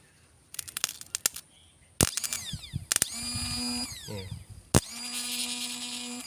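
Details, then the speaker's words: Motorcycle starter motor, new replacement bench-tested on the battery: short bursts of high, even whine winding up and coasting down cleanly with no grinding, sounding soft; starter spins freely, normal. "อันนี้ตัวใหม่นะครับฟังเสียงนิ่มอยู่นะครับ"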